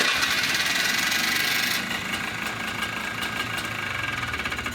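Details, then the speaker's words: Polaris Trail Boss ATV with a new ignition switch and new air filter: small single-cylinder engine idling at an even, quick beat with a light mechanical clatter; starts right up, steady idle. "fires right up. Starts right up. Purrs like a kitten."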